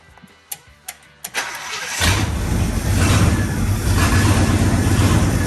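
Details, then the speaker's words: 1965 Acadian Beaumont neglected for years, cold start after oil top-up: a few sharp clicks, then engine catches into rough low rumble that wavers unsteadily; cold engine struggles to stay running. "let's fire it up again and try to get to stay running this a little bit longer it's still"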